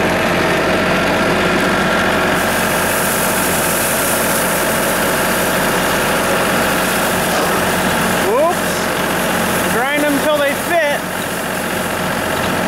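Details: Tractor-mounted branch sweeper after repair and jam nut adjustment, sweeping road: steady even machine drone with no grinding, crunching or clatter; chain drive sounds healthy.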